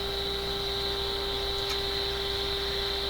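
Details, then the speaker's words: Westinghouse 5T121R clock radio after replacing the power supply filter capacitor: 1 kHz test tone carries a low 60-cycle hum; more capacitors probably need changing, cause not pinned down. "there's something going on making that instead of a pure tone it sounds like it's got a 60 cycle hum in it"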